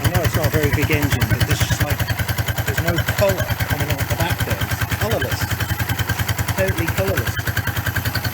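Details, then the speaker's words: 1994 Suzuki GN125 after carburettor clean clearing a blocked main jet, which had kept it from revving past 2,000–3,000 rpm: steady, even single-cylinder putter at idle, no misses or stumbles; clean, healthy carburetion. "anyway so like last night we couldn't get over 2 000 and 3 000 rpm so let's have a look now and that's going to go all the way really that's going all the way so that's what it was that was that block main jet"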